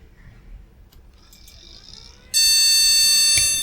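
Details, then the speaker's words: Retro AT-era PC, known-good RAM retried again in the troublesome last slot: quiet fan noise, then a single long shrill beep at power-on; POST error, board rejects memory there. "no okay so we can look at that one under the microscope I think see if we can see any problems"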